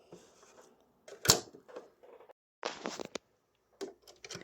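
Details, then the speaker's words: Sewing machine with a horizontal bobbin, before maintenance: uneven stitching rattle with an extra sharp knock every few stitches as the bobbin skips. This calls for stopping and doing bobbin-area maintenance even though stitching still looks fine. "Como van a ver, la bobina está pegando algunos saltos. Cada tantas puntadas ella se salta y suena como un golpe que no debiese sonar."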